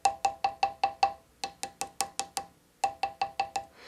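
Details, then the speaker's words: Crotch mahogany veneer hammer-veneered on a drawer front: fingernail scrape and tap test, some spots ring dull and hollow where veneer lifted, others crisp; hollow veneer from poor adhesion. "you can detect a change in pitch from areas that are fully adhere to those areas that aren't and you'll hear that difference right here in this area as I take my fingernails back and forth you can also do a tap test and you'll hear that difference quite dramatic right in here"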